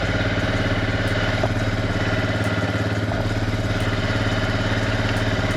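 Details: Suzuki Eiger QuadRunner four-wheeler, cold start after sitting about a month, brakes held and shifted into reverse; steady single-cylinder thump at idle, even putter with no knocks or rattles; normal idle.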